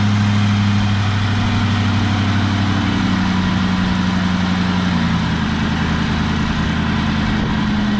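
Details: Wrecked 2004 Mustang Mach 1 40th Anniversary with 60,000 miles, idling on its first start after the air intake was refitted (it ran very rough without the mass airflow sensor): steady, even low idle with a constant hum, no knocks or misses.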